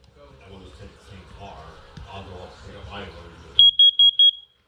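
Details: First Alert CO606 carbon monoxide alarm, marked March 2019, plugged in: after power-up, four loud evenly spaced high-pitched beeps; self-test works normally.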